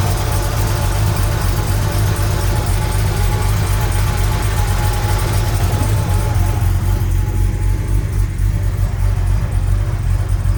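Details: Sunseeker XPS 25 powerboat, BMW B220 engine, running on the muffs after priming the fuel filter water separator pump: deep, steady rumble with even firing and smooth throttle pickup, no misses or knocks. Normal running.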